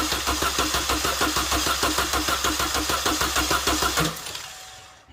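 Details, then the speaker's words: Chevy Cruze 1.4L after belt, alternator, AC pump, tensioner, water pump pulley and valve cover work: even, strong cranking about three turns a second for four seconds, never catching. Healthy crank with no start. "guys that one cranked nice that's what we want no start but crank"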